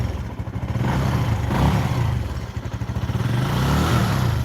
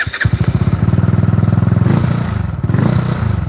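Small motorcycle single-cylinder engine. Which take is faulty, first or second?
second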